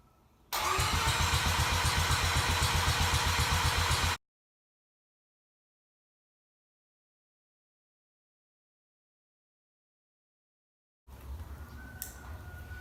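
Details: Freshly rebuilt bridgeport-ported 13b Turbo II rotary from 1991 JDM RX7 at startup: jumps straight to high steady buzz against 2000 rpm limiter; owner suspects vacuum issue as MAP sees no vacuum.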